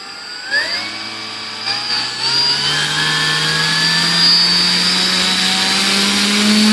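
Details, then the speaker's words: Volantex/Lanyu ASW-28 V2 sailplane with a replacement ESC, bench test with a slow throttle increase. Smooth whine climbs steadily without stutter to about 262 W, after a 26.44 A maximum; within specs. Healthy motor. "okay so it looks like we're pretty decent here how many walks about 262 watts"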